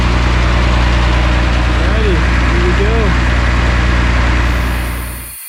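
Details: Mercedes Unimog expedition truck diesel after sitting about one year, second start attempt: steady low clatter at an even idle, rhythm holding regular until shutdown; runs smoothly, no misses heard.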